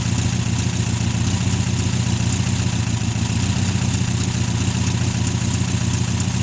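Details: VW 1600 flat-four after 10 years sitting in salt spray, running about 10 minutes on fast idle until fuel runs out: smooth steady low drone, even beat, no knocks or misses; normal fast idle.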